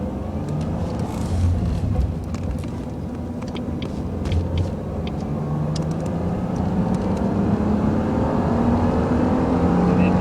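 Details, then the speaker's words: 2001 Jaguar X-Type 2.5 V6 petrol manual after a transfer box oil change, accelerating through second and third to 70 mph then into fifth: smooth rising drone, no whine or growl, healthy. "just ease off keeping it down on 70 mph lovely and smooth just roll into fifth gear sounds great"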